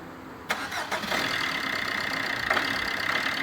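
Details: 2017 Fiat Egea 1.3 Multijet diesel, first start after EGR, intake and throttle carbon cleaning: cranks, catches and idles with sharp metallic clatter, attributed to injectors not spraying fuel properly; injector knock.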